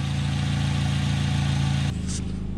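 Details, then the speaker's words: Korean-made sedan just started on olive oil instead of engine oil after an oil change: oil pressure comes up, oil light off, steady even low idle hum with no knock or tick; normal idle. "it's got olive oil pressure i'd say that sounds really good"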